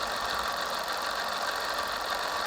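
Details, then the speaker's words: Bafang BBS02 750 W 48 V mid-drive motor after about 1600 miles, chainring off, powered on the bench: even gritty rumble with a thin steady tone; main drive shaft bearing, found full of dirt, water and old grease, still rough and needs replacing. "as you can hear there's still start bearing rumbling noise which is a bit of a change but obviously that just means that there and used to be replaced"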